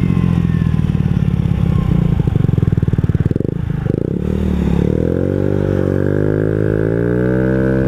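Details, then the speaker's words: Honda Ruckus scooter after valve adjustment and tuning mods: engine revs climbing in pitch while the CVT drive doesn't follow, belt not traveling; variator sliders not moving, a new abnormal noise. "I am revving at it's like my sliders aren't sliding or something my belt isn't traveling what happened"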